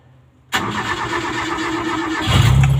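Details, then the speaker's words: Owner-type Jeep with 4K engine that was hard starting on its ignition switch, restarted after fitting an electronic distributor and setting timing to 8° BTDC; short crank then catches at once into a steady idle, a normal start. "ay umaandar na siya sa kanyang ignition switch Okay na tayo dito"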